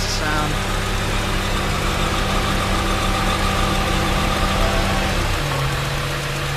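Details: Honda Prelude H22A1 at 234k miles, idling: thin high squeal on top of the idle that drops away near the end; goes away with clutch pedal depressed, owner suspects transmission/clutch, clutch slips under hard acceleration; cause not confirmed.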